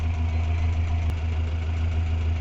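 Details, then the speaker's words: Renault 4L Cléon 1108 cc engine, warm (about 80°C) with stock ignition before fitting the Grand Laurent module: steady, even idle averaging 800 rpm with no knocks, misses or hunting. "Alors maintenant, on regarde donc les tours moteurs. On est toujours à 800 tours. 790, 820. Voilà, on fait une moyenne de 800 tours."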